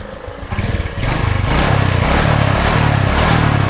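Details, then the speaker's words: Honda Supra 125 carburetor motorcycle after replacing piston set, con rod and clutch parts to cure rough noise and low power: engine runs with an even low pulsing beat, no knocks or rattles. "sudah tidak ada bunyi-bunyian lagi di sini Yang aneh-aneh ya"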